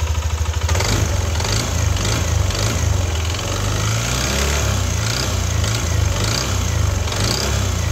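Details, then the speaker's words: Yamaha NMAX V2 scooter starts and idles with a loud, hard knocking rattle deep in the engine, a knock rather than rough bearing sound; engine to be opened. "So yun yung tunog ng makina ni paps ah. Ah tunog knocking eh hindi siya tunog bearing eh."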